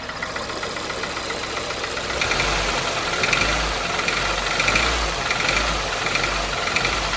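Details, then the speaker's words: 2002 Toyota Corolla, about 110,000 miles, cold start after a month sitting, revved in short blips: metallic rattle and knock swelling with revs, unchanged by a new chain tensioner; owner suspects a stretched timing chain or rod bearings. "now to me it kind of sounds like it's a timing chain but I'm going to give her some revs here kind of tell me what you think"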